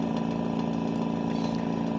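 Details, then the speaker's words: AirSep NewLife Intensity 10 oxygen concentrator (10 L/min), power draw 4.6–5.6: steady mid-pitched hum with fine fast rattling over the motor drone; strange rattle/rubbing coming from the compressor. "se escucha un ruido extraño el cuarto lo van a ver ahí ese traqueteo proviene del compresor"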